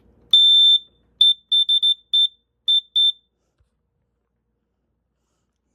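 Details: Sears 246.57044 gas alarm during its test after a long warm-up: one long shrill beep, then six shorter beeps at an uneven pace; gas alarm triggered.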